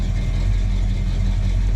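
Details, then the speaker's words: 1987 El Camino SS V8, not started in 6 months, at a deep, steady, even idle with no knocks or ticks; runs cool, rings probably need to wear back in, oil pressure possibly low; healthy idle. "But, uh, it sounds really good. She runs nice and cool."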